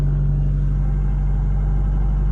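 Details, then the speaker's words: Ram 50 truck on cold start, which also has clutch hydraulic problems and a separate knocking: low steady idle with a fast buzzy rattle underneath; exhaust rattle when cold. "We also got to fix a pretty bad exhaust rattle when I start this thing up when it's cold. Yeah, you can hear it."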